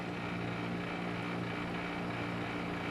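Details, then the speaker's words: Street-found Maytag 5200 BTU digital window air conditioner running: a loud compressor hum with a constant buzzy rattle. The rear condenser coil (radiator) is rattling. "I did turn this on already and uh seems to work, but it's very noisy. These may tags are noisy to begin with, but the uh the rear radiator is rattling quite a bit."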